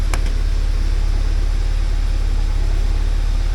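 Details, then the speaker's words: 1979 Porsche 924, warm; the fuel pump is noisy at the rear: smooth, steady low idle at about three and a half pulses a second with no misses. A paper-towel exhaust test shows clean running, not rich. "so it's running pretty nice and clean now"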